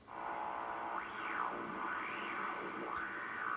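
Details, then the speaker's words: Drake R4B receiver picking up a calibrator signal during debugging of an R4C calibration board: a whistle swoops up and down through a buzzy, rough tone; AC hum in the calibrator feed line and square-wave generator puts hum on the signal. "So the calibrator in this R4B has AC in it. It makes horrible noises. You hear it humming. There's AC in the feed line on that one's, and that one's square wave generator. It's got some hum on the signal."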